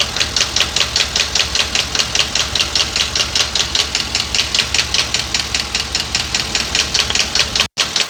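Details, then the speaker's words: 2022 Ford F59 with a 7.3 gasoline V8 at idle, code P0300 random misfire, no check-engine light. Sharp ticks about 2.5 per second, traced by screwdriver/hose stethoscope to cylinder 3. Owner rules out rod knock and valve-piston contact and suspects the camshaft: top-end tick. "El ruido está en el cilindro número 3. Aquí está el ruido. Bueno, aquí está el ruido en el cilindro número 3."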